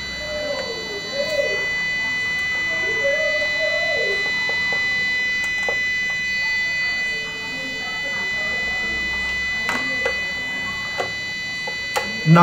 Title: APC 500 UPS continuous beeping and flashing power led